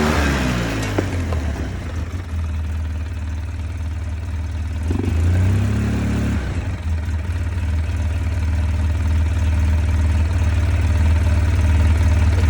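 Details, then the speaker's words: 2005 Polaris Sportsman 700 EFI ATV idling after a new Quantum fuel pump, regulator and filter replaced the OEM pump, which used to cut out after 3 to 5 minutes. Steady hum at a slightly higher idle, even with no stumbling; sounds better than before. Normal idle. "Sounds a lot better than what the previous one was."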